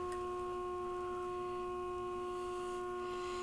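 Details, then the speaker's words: RCA 262 tube radio on the bench after replacing a burnt 1K resistor, while peaking the second IF transformer with an injected tone: a clean, steady single-pitch tone with faint hiss, definitely louder; IF alignment test signal. "Then we could do this one here. This is the second IF. It's definitely louder there."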